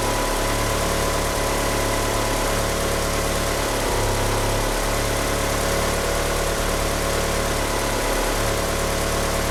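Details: Car fitted with oversized 850cc injectors, at idle: lumpy, irregular low pulsing with a hiss from the slipping power steering pump belt on top. The car won't rev up. Rough idle from the oversized injectors.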